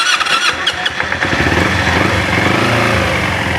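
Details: Carbureted Kawasaki Ninja, engine still hot, restarted: uneven sputtering bursts then a rough, unsteady idle around 2000 rpm that dies if it drops; hard starting and poor idle when hot.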